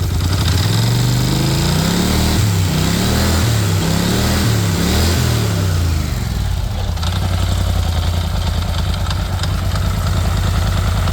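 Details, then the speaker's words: Polaris Sportsman 850 ATV that had a heavy knock, suspected rod, traced to the flywheel: after the fix the engine, run in neutral with the transmission removed, revs briefly then settles into a steady, even, quiet idle with no knock; clutch spinning fine. "Well, that sounds quiet now. see if we hear any noise anymore, and make sure that the noise we were hearing was definitely just the flywheel. So here we go. That sounds pretty normal."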